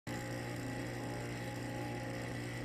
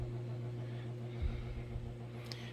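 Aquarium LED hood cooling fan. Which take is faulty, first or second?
first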